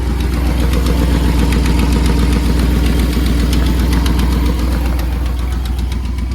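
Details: 2001 Dodge Ram 1500 5.2 Magnum V8 4x4 with a new muffler and custom exhaust, cold start: lumpy idle burble with a light, regular ticking puff; the owner suspects an exhaust leak, possibly an intake leak.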